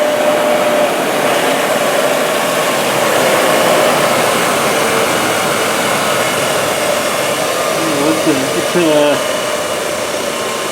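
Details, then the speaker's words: Used 1998 Workforce 8-inch bench grinder, 120 V 5 A, with wire brush and stone wheels: smooth, steady whir at constant pitch, no knocks, rattles or wobble; normal running. "1998 hey it still works good things are probably even built built better back then"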